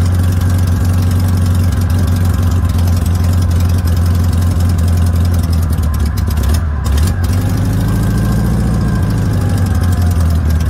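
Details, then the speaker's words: VW notchback Beetle, sitting since June 2020, on a test drive after a rebuilt 32 PHN carburetor: a steady, fast idle with an even low drone and no misses. Idle is deliberately set high while the car runs poorly. High idle. "i have the idle set kind of high just because i"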